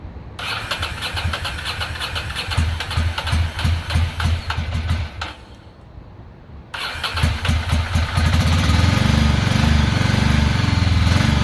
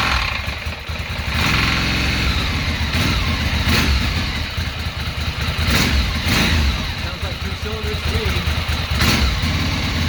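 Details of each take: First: 2006 Ducati Monster 800, first run in years after fuel pump replacement: uneven, lumpy V-twin idle with a lopsided stumbling beat; front cylinder stays cold and isn't firing, probably a clogged injector, to be swapped to see if it follows. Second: 2006 Ducati Monster S2R 800 V-twin, first run in many years after fuel pump replacement and injector cleaning, fresh fuel: catches after a brief crank, settles into a loping twin idle with throttle blips; sounds healthy.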